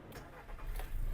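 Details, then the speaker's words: 2009 Skoda Octavia A5 1.6 MPI petrol, dealer-serviced; short crank, then the engine catches and settles into a smooth, even low hum without smoke or misfire; clean, healthy start. "завівся співтику Мотор працює тихо-рівно не димить не троїть"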